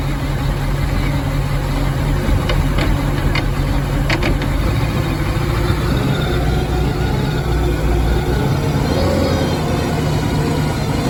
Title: Malibu rough idle 2